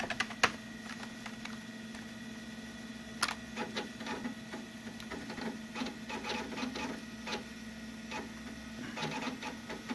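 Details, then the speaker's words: Macintosh SE old hard drive, browsing games: quiet hum with quick irregular clicking and chattering bursts as the heads seek; old drives normally sound like that. "And yes, hard drives used to sound that way."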